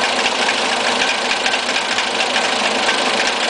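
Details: Fiat Siena 1.6 at idle: light uneven tick about two a second over hissy, slightly unsteady running; rough idle, heard at a lower level above the engine bay and a higher level under it; source unknown.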